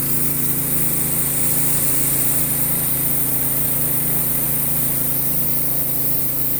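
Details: Honda GX160 pressure washer upgraded with a CAT pump rated 2750 psi at 2.5 gpm, running with the trigger pulled; steady, even drone with a firm low hum that holds pitch without sagging; carries the pump load comfortably.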